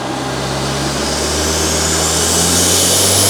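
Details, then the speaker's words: Rebuilt Mk1 Audi TT on its first full-load pull, stock about 195 hp expected: strong clean pull with smooth rising note, no knocks, misses or rattles; healthy engine under full load. "That sounded so good. That sounded so good. It sounds insane. It sounds really good."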